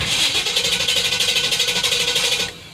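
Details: Chevy truck's first start after its factory dual exhaust was rerouted to true duals. Steady rhythmic cranking, about three beats a second for 2.5 seconds, stops without catching; it started on the next try. Cranks, no start, cause unknown.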